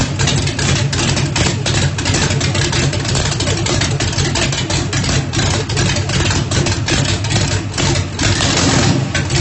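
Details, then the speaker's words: Ford Mustang, 1800 hp turbocharged small-block Chevy on methanol, first start after rebuild, brake-clean shot to prime: loud lumpy V8 idle with steady loping big-cam rhythm, even firing, no knocks; sounds healthy, normal idle. "it sounds pretty healthy I couldn't hardly breathe but it cranked up and it runs so I am super excited"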